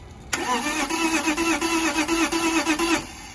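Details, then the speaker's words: BMW E34 Touring wagon, 5-speed manual, parked about 7 years: steady starter whirr with uneven coughs, pops and a backfire, never catches; smoke seen, old fuel in tank described as horrible; fuel delivery problem suspected, fuel pump needs replacing. "so it did something not great which was backfire but uh that means there's something going on"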